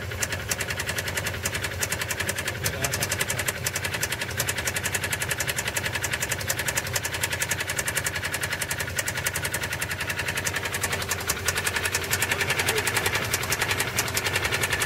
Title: subaru impreza sti стук двигателя